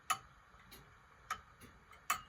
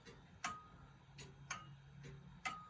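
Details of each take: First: Antique grandfather clock just after bending the crutch wire one way, heard through an amplifier; sharp ticks about every 0.6 s, alternating loud and soft with uneven spacing, going off a bit; clock out of beat. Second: Antique grandfather clock on test, beat picked up by a clip-on pickup and amplifier; crisp ticks alternating evenly tick and tock with regular spacing and no limp; clock in beat.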